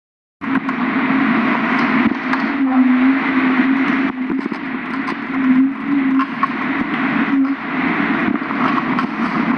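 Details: Car driving with a low wavering hum from the driver side, rising and falling; louder turning left than right, absent when turning the steering wheel while parked; cause unknown.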